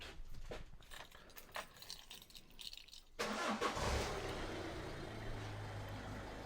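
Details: 2011 Peugeot 207 1.4 HDi diesel after clearing EGR fault codes: key handling, brief crank, catches at once and settles into a steady, even idle; a healthy start with no engine fault warning.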